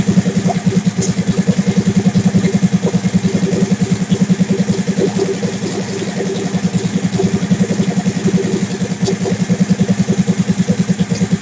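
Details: Big-turbo Suzuki TL1000R V-twin with 560cc injectors and Power Commander, during idle tuning: lumpy, rough, uneven idle with throttle blips that pick up unevenly; owner says it is running leaner, uneven idle.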